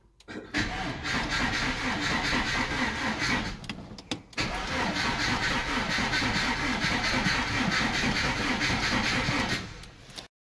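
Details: MG ZR after cylinder head rebuild, first start attempt: starter churns the engine steadily for nearly ten seconds with one short pause, but it never catches; cranks but won't start.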